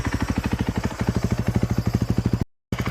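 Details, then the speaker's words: 2013 KTM 350 EXC-F after a freshen-up (fresh oil, air filter, fresh fuel, bled clutch, aftermarket timing chain tensioner, SXF muffler), started on a temporary electric-start setup: steady, even thumping idle with no odd knocks. Normal idle. "Starts up. In my opinion, sounds pretty good. Doesn't have any odd knocks or anything."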